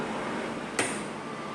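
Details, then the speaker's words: Old audio amplifier at switch-on: a sharp thump in the speaker against steady hiss, with a similar thump plus a whistle at switch-off; caused by aged capacitors that have lost their value. "Este tipo de sonido lo provocan lo que son capacitores que ya han perdido su valor, mayormente en estos equipos antiguos."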